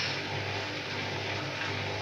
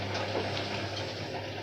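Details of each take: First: Candy washing machine on Cotton 40°C, 800 rpm plus Quick Wash, with a large bedding load: the drum churns and surges unevenly, speed rising and falling with thumps, as it fails to spread the lopsided load. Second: Candy washing machine on Cotton 40°C, 800 rpm plus Quick Wash, washing bedding, 38 minutes left: a steady low pump hum under rushing, gurgling water as the tub empties; normal drain.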